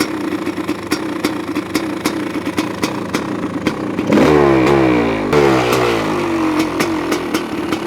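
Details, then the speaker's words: 1985 Honda CR500 two-stroke in a 2007 CRF450R frame, first run after swap, cold windy day: blips and bogs, blubbery burble on return, running rich and loading up. "there we go little loaded up now let's get"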